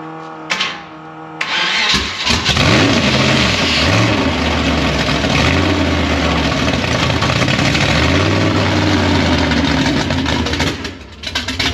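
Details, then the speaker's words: 1956 Chevy gasser at first start after rewiring: cranks, catches, then revs roughly with sharp uneven pops; backfire from ignition timing set only close because the timing light isn't working, to be adjusted. "timing light ain't working yeah that's why I was backfiring uh timing light's not working so we've got it pretty close obviously cuz it fired right up but uh that's got a little backfire to it"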